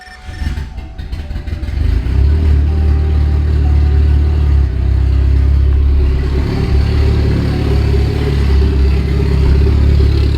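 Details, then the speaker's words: Mitsubishi Evo 8 after replacing the serpentine belt, pulleys and tensioner (the old tensioner pulley was floppy): engine catches and settles to a strong, even run with no squeal or chirp; the accessory belt drive is quiet. "Heck yes, not a single noise. Perfect. New belt is on. New pulleys are on, new tensioners on."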